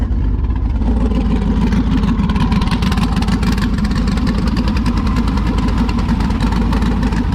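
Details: Klaus, a Jeep V8 after engine work: deep, steady burble with even firing and no knocks or misses, with good oil pressure and coolant temperature; normal idle.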